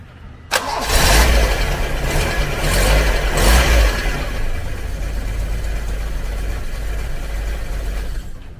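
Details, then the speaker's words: Vintage Toyota Corolla starter cranking: it turns the engine over briskly and evenly for a few seconds, then the engine catches and runs smoothly. Normal starter cranking. "So at least narinig nyo na guys yung difference ng tunog ng dalawa."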